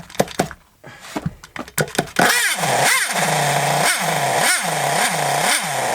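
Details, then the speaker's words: Scrap Thunder Tiger .28 Pro nitro RC engine, no clutch or bell fitted: a few popping catches, then a slow sagging surge about twice a second; tick-over set too low, idle screw to be raised. "Oh, that tick over is a bit low now. Let's put that up and it should run. It should tick over."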